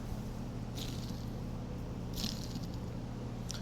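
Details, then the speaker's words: Polaris Sportsman 700 front differential/gear case bearing turned by hand during a rebuild: low, gritty purr, catching now and then as it turns. "This one is not okay. It's very rough and noisy, wh"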